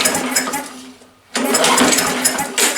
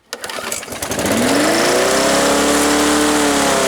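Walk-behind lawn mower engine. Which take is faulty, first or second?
first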